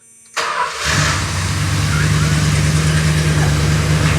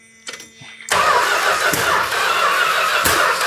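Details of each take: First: 1971 Chrysler New Yorker 440, parked 20+ years, after a spark plug was reinstalled; quick crank, then steady even low rumble at idle, no misses or knocks; runs like new, just needs timing set. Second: 1971 Chrysler New Yorker 440, parked 20+ years, first start attempt; catches and roars unevenly with sharp pops, spitting back through carb at the metering rods, seemingly no spark; owner suspects stuck valves.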